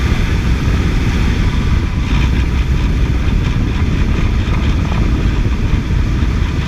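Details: 2006 Toyota idling with a few revs while the owner tries to locate an engine noise. Dense low rumble with an odd noise riding along; source unclear. Abnormal engine noise.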